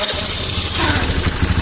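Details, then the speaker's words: Honda Beat scooter after manual reset, idle unstable: engine speed wavers up and down, nearly stalls, dies when throttle is limited; attributed to rarely serviced bike, dirt in throttle body restricting air and weak fuel pump. "Ya, naik turun, naik turun. Jadi putaran idle-nya tidak stabil, teman-teman."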